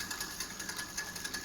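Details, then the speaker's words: Wallke e-bike wheel spinning: high scraping hiss pulsing about three times a second, brake disc rubbing the caliper, not motor noise; fixed by loosening two caliper screws, centring the disc and retightening. "Yeah, it's very abnormal. It is the sound of the brake, not from the motor."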